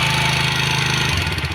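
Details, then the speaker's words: TVS Apache RTR 160 single-cylinder bike, not very old, idling with a quick light ticking over the exhaust beat and pickup problems; tappet (valve clearance) setting suspected as cause, not confirmed. "Engine में बहुत ही खराब आवाज निकल रही है आपको सुनाने वाला हूं मैं"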